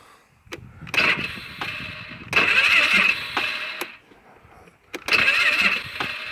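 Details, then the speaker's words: Polaris Sportsman 500 ATV with 12,000 km, trouble since a rollover: the starter spins in short bursts, hits compression and stops, never turning over fully; battery light flickered, so owner suspects a weak battery or the starter. "She's not even turning over fully. She just goes until it hits compression and stalls or stops."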